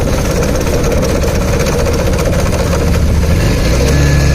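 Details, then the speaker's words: Bajaj Pulsar motorcycle running, noise made when releasing the clutch: steady rough engine drone with a coarse rattling undertone; opening the clutch cover showed worn clutch plates and a broken, cut oil pump gear wheel. "Clutch వదిలేటప్పుడు రన్నింగ్లో ఆ sound అయితే create అవుతుంది. అలా రన్నింగ్లో sound create అవుతుందంటే clutch ప్లేట్లు అయితే అరిగింటాయి అని చెప్పాం."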